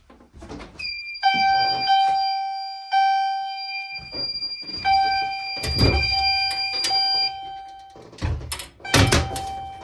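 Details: Fire-Lite MRP-2001 fire alarm panel driving a chime set to Temporal coding. A bright chime strikes in a slow, spaced pattern, each ring decaying between hits, which is normal temporal operation.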